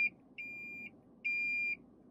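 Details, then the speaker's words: 2020 Lexus UX (gas or hybrid) cabin parking-support alert: short chirp then two clean high half-second beeps from front/rear bumper parking sensors or rear cross-traffic alert; volume adjustable; normal parking-sensor alert tone. "your parking sensors that we saw on the front and rear bumpers rear cross-traffic alert that notifies you if you're backing up and someone is crossing behind the vehicle you can also change the volume of this notification now"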